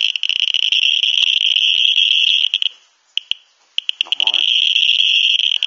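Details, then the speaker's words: Geiger-Müller counter with a strongly radioactive stone at the tube: clicks so fast they blur into dense high-pitched crackling buzz with brief gaps, about 2887 pulses in 10 seconds. "ich möchte mal zeigen was schon etwas stärkere Strahlung ist ich habe hier einen speziellen Stein hören wir uns das mal"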